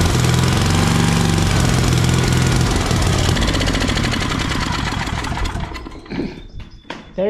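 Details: Briggs & Stratton 8 hp single on a Troy-Bilt tiller, after locked-up engine repair with new head gasket and surfaced head, air cleaner off: fires and holds steady chugging beat about three to four a second, then winds down; runs, carburetor needs cleaning.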